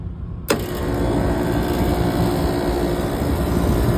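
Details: Trane unit after replacing the faulty RTRM board, started in test mode. A click as the contactor pulls in, then a steady, even hum and rush holding level without cycling off; compressor now stays on and runs normally.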